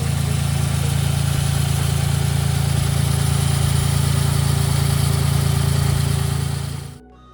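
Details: Smart Roadster 452 engine after freeing a seized alternator with a 24mm spanner and chain lube: even low chugging about four beats a second holds steady seven seconds then stops; turns over freely, normal cranking and idle.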